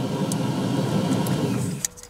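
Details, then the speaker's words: Phantom electric supercharger after repair, engine off: steady low whirring spin for nearly two seconds, then winds down; normal electric supercharger spin. "hopefully you can hear the electric supercharger because the motor is off so you can hear just the electric supercharger spinning by itself"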